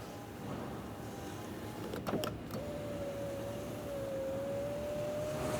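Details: 2014 Nissan Maxima S 3.5L, key on, testing after installing a new master window switch: smooth, even motor hum holding a steady pitch for about three seconds of travel, then stopping cleanly. The power window works normally.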